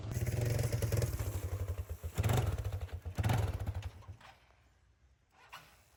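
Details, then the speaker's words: 1995 Yamaha Timberwolf 250 ATV, long-stored, destroyed carb worked on; had no power before. The single revs out fully, then falters and dies as soon as the throttle closes and it stops, won't hold idle; the idle mixture screw needs adjusting and the pilot jet is suspected. "Well, she revved up fully, but as soon as I came to a stop, it's like it immediately died. So we'll definitely have to play with that idle mixture screw a little bit."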